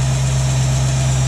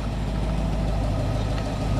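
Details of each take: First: 1967 Ford Mustang with a rebuilt Holley 2300 2-barrel carb, on the choke high idle cam: a steady, even hum at about 1000 rpm with no misses or ticks. A healthy fast idle, later set to 700 rpm on the regular cam. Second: 1967 Ford Mustang with a rebuilt Holley 2300 2-barrel carb, warm idle while the idle mixture screw is turned for peak vacuum: the steady idle sags and stumbles, then comes back up a little, as the mixture goes too lean.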